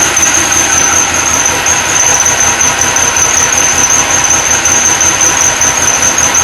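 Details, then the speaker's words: Supercharged LS1 V8 ute, first start, untuned: shrill steady squeal over the idle from the newly fitted accessory belt; WD-40 stopped it instantly, belt alignment and idler pulley bearing to be checked. "Sounds pretty gnarly. Definitely squealing on this belt here."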